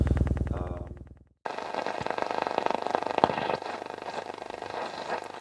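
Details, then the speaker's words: Restored Telefunken Operette 6 tube radio on shortwave/AM: clean tone cuts out, then fast irregular crackling rattle over the station; distortion suspected from a nearby power socket block, not confirmed. "the rattling that you're hearing is uh I think it's Distortion caused by my block of sockets my power block I think it's causing distortion on shortwave not only on short wave but also on the other am bands as well"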